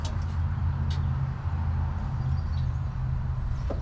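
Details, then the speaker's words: Junk Dodge Ramcharger V8 running after fuel line reconnected, with no coolant: loud, deep, raw unmuffled rumble with a steady low beat, exhaust cut off at the pipes; engine running on open exhaust. "I was wrong it had custom exhaust it has no exhaust it's cut off at the at the pipes under there right now"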